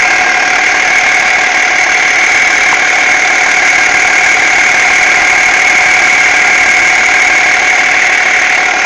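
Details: BMW E46 330d diesel at idle: loud steady whirring tone with faint irregular tapping from behind the power steering pump; abnormal noise, cause not yet found.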